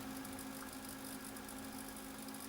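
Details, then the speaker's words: Apple Macintosh Classic switched on for the first time before restoration: a faint steady whir with a constant mid-pitched hum and light hiss, as circuitry whirs away while the screen stays mostly dark; source of the whir not yet found. "Okay, here we go. I can hear circuitry worring away."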